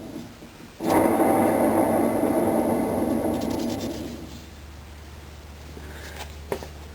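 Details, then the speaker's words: Front wheel bearing on a Suzuki Ozark 250 ATV, spun by hand with wheel and brake caliper removed: a gritty, rough grinding rumble that fades as it slows, from a worn bearing before replacement with new bearings and seals. "now with the caliper off I rotate the wheel bearing you can hear how rough it is"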